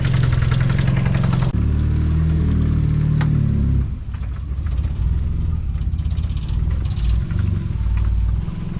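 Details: Mazda Miata after replacing the misfiring coil pack (cylinders 1 and 4), just started with no idle air control valve: steady low idle settling as it warms, no stumble; misfire fixed.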